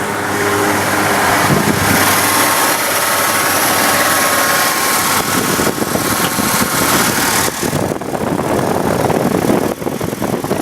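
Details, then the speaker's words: Engine idling just after a noisy, worn serpentine belt was replaced with a new Dayco belt: steady idle, no squeal or chirp from the front of the engine; the belt drive is now quiet. "and there we have it a brand new serpentine belt installed all right now let's see how long it'll last sounds good so far"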